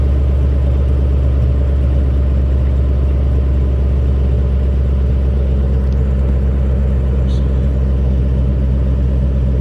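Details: Chevy square body truck with stock 5.3 V8 swap, stock manifolds, 2.5-inch pipe, Flowmaster Super 10 mufflers, turn-downs before the axle, cold start: deep steady burble at fast cold idle, smooth, no ticks or leaks; normal cold start exhaust note.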